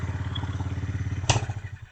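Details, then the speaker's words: Motorcycle after chain cleaning and lubrication, engine idling; even single-cylinder thump with no chain rattle, slap or squeal; previous noise gone, chain runs smoothly. "చూసారా స్మూత్గా run అవుతూ ఉంది. ఇప్పుడు sound రావట్లేదు. ఇంతకు ముందు అయితే చాలా కిచ్ సౌండ్ వచ్చేది, ఇప్పుడు అలా సౌండ్ రావట్లేదు."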